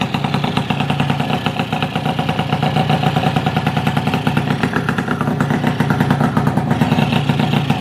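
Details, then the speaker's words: Yamaha F1ZR two-stroke engine received for repair, run before teardown: a steady idle with a fast, light rattling clatter underneath, centred in the middle near the clutch; a worn crank bearing is suspected, not confirmed. "Jadi ada sedikit suara di bagian tengah Hai sama kopling dan teman nanti kita buka aja biar lebih jelas kayak gimana kerusakannya ya"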